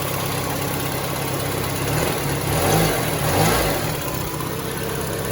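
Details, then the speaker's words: Junkyard Peugeot 3008 with an apparently recently serviced radiator, started on the first crank: smooth steady idle, two quick throttle blips rising and falling cleanly, then back to even idle; engine sounds healthy. "Tuh hidup kan, sekali starter hidup. Tuh suaranya standar 306, suaranya kayak gini."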